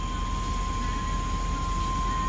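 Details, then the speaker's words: 1992–1999 Chevy/GMC truck: steady high warning buzz over low engine rumble while LED headlights are switched on; the same buzzing occurs on both vehicles. "I don't know if this one buzzes. Of course it does. They're the same vehicle."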